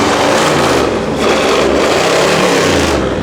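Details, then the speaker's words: 1955 Ford Mainline ute custom, 302 Windsor V8 with C6 automatic, recently started after probably at least 2–3 years: revs blip up and drop off with a rough popping rasp from the exhaust on each lift-off, a healthy crackle. "it's got the Mad crackle on it soy give it a bit of a wash and T it for a spin"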